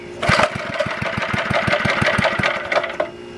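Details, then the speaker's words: Antique Goodall-Modern edger with 3hp Briggs & Stratton single-cylinder, last run mid-1990s, sitting 20+ years: pops along unevenly with irregular, surging firing and faint rattle; rough running, owner suspects carburetor needs cleaning, possibly leaking. "so definitely probably have to clean out the carburetor he's been sitting for over - uh off the over 20 years"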